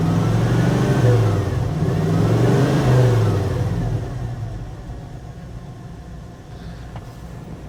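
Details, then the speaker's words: 1980 Dodge W200 with swapped Magnum 5.9L V8 on a cold start: low lumpy exhaust beat stumbling three or four times a second, a dead cylinder on the passenger side; fouled plug or burned valve suspected. "I think it's definitely missing on this side. That's not good. She's definitely missing on that passenger side."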